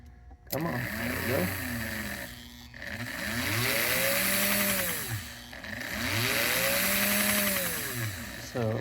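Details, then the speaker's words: Prewar 1940/41 American Flyer O gauge K-5 Pacific locomotive motor after commutator cleaning and lubrication: smooth whine rising and falling evenly with speed, winding out cleanly; reverse unit still intermittent. "it winds out really nicely. Motor sounds good."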